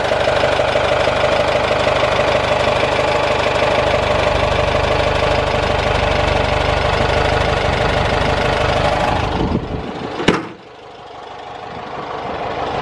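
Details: 1973 Volkswagen Thing after new plugs, wires, filters, exhaust, fuel filter and distributor: steady, even idle with typical busy air-cooled clatter, no misses or surging; normal idle.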